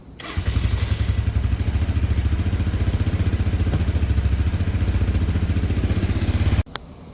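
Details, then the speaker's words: Red auction go-kart, bought non-running, with a vacuum-slide carb: idle screw turned up, steady low single-cylinder idle thump then abrupt cut-out; carb is sensitive to air pressure and runs without the airbox, which was found to hold a mouse nest. "Cutting out a little bit there because I don't have the airbox on, and these carbs, the way they work with the vacuum slide in there, they're pretty sensitive to air pressure, so they definitely need the correct resistance behind there."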